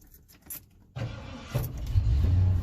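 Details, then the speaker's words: 1992 Ford F250 V8 shop truck, owned almost ten years and modified for more power, cranks on the first try and settles straight into a steady low rumble idle without stumbling; normal start and idle. "as you notice it starts right away it's idle and good"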